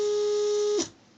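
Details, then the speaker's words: RepRap Prusa Mendel Y-axis stepper, fault not in the Pololu driver since swapping drivers works: a piercing high whine for under a second that cuts off abruptly, the motor running too fast and moving only three steps. "so that was a hundred motion and that's the high sound it seems like the merch is running in height at high speed"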